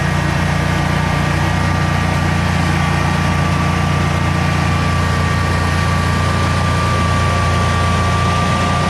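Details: Generac Guardian 16kW standby generator running on gas after refurbishment, carrying close to 6,000 W of heaters: a deep, steady hum with an even drone that never dips or surges, healthy under heavy load and not hesitating.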